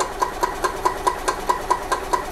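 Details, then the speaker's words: 1999 Club Car DS gas golf cart, crank no start in service mode with choke held: steady cranking about five compression beats per second, never fires; carburetor debris suspected, fuel filters and carb cleaning planned. "so as you can see, I'm holding the choke down. And it's not starting. So I'm gonna assume that we have some crap in the carburetor, which is very common."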